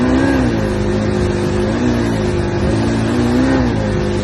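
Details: Johnson outboard revving under throttle: uneven surges, the tone dipping and recovering about every second, a stumble suggesting bog or misfire. Cause suspected, not confirmed.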